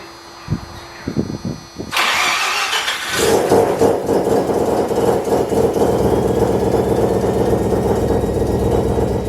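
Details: Mazda FD RX7 bridgeport rotary, Hypergear T51R single turbo conversion, first start: cranks catch, then harsh, raspy, very loud idle with popping hiss; massive exhaust leak from turbo exhaust housing V-band clamp not seated properly.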